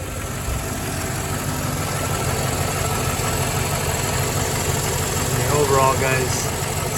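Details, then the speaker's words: Mercedes E420 V8 idling after reassembly: light, fairly quick ticking over a steady low rumble from the top end; noisy lifters suspected, not confirmed, and the tick persists as before. "okay definitely got our tick there still Butch to be expected kind of same thing as last time"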